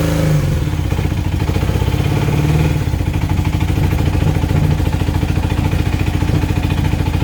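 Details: 1980 Honda CB400N, new tachometer cable, after spraying white lithium grease into the tach: steady low thumping idle with an even beat and no high squeal; tachometer whine completely gone.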